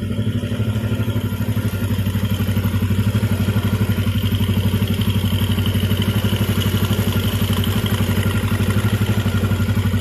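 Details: Jupiter MX idling, heard from the left side at the chain area after a full rebuild with a new timing chain, Indopat block set, clutch, conrod and crank bearings. A steady, even putter about four beats a second, no chain slap or rattle. Healthy.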